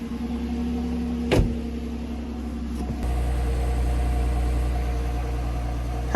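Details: Cheapest Jeep Wrangler JK, first start after fresh oil, oil additive and new quiet muffler: brief starter whirr, then a low, even, hushed idle rumble with no rasp or leak; exhaust quiet and smooth.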